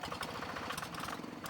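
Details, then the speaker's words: Single-cylinder diesel on G3000 Zeva hand tractor idling with a rough hiss and rattle from the fan support bearing or tension pulley. "Baik, ada suara berisik dari laker atau bearing penahan kipas ya, atau tension pulley."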